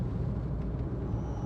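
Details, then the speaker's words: Proton Saga Iswara, about 50,000 miles by owner, on the road after a garage repair that put things back into line following a won't-start fault and bunny-hopping: low, even, quiet rumble, no knocks, misses or surging; calm and smooth. "doesn't she just sound wonderful it's so quiet it's so calm it's not bunny hopping along a road and it's brilliant"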